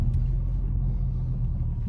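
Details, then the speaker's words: 2003 Mini Cooper S driving after CV axle replacement: a smooth, low road rumble with no clicking at all; the CV joints sound normal. "well no clicking at all nice and smooth okay"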